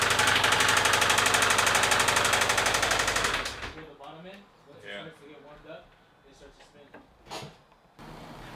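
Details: Subaru engine knocking hard and evenly, about four knocks per second, for three seconds before it dies; badly knocking bottom end, engine considered for replacement with a long block after crankshaft position sensor replacement attempt.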